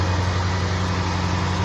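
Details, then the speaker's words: Range Rover Sport SVR at first start after rear main oil seal replacement, exhaust refitted, no leaks yet at the bell housing. Deep, smooth, even V8 rumble at steady idle with no ticks, knocks or misfires; normal running. "that's it running. Just SVR noises."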